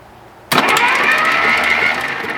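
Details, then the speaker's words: 1951 Kaiser Special, first crank attempt: starter spins fast and even with no compression beats and no air movement heard; suspected no compression, possibly stuck valves. "I didn't Okay. hear a lot of air moving. I didn't hear any air movement."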